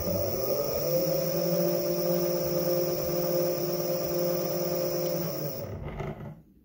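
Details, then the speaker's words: Meepo electric skateboard after swap to Direct Drive hub motors, running sensorless, slow mode under 8 mph: rough gritty drone and hum at low speed, smooth at higher speed; owner suspects stiff, defective supplied bearings; grinding at low speed. "you hear yeah that's one slowdown and you can definitely hear the grinding noise a much higher speed is very smooth"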